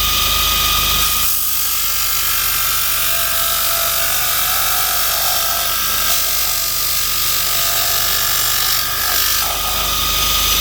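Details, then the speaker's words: Bench grinder with newly fitted linisher attachment, disc sanding metal: steady high hiss and scrape of abrasive disc on metal at constant speed, even and smooth; disc sander works normally. "Right, we've tested the disc. Really cool. Came out pretty good actually."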